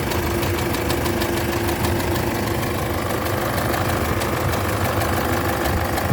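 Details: Isuzu D-Max GT 4JJ1 diesel at steady idle with a deep regular knock under the clatter; failure caused by a broken crankshaft main bearing cap.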